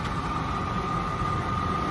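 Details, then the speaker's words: Champion UH300 M4-series undercounter commercial dishwasher with cold water feed, during rinse with rinse water injecting; steady motor hum, constant mid-pitched tone and even water rush; recirculation pump running normally, not yet draining as water level is low. "You see how the recirculation pump is running? But it's not dumping any water because it doesn't have too much water in it yet."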